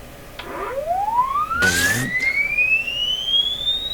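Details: Amplifier and speaker check on a 1929 Victor RE-45 radio with a low-frequency test-tone sweep. The tone is buzzy and rough at the bottom and cleans up as pitch climbs; distortion is suspected to come from the speaker.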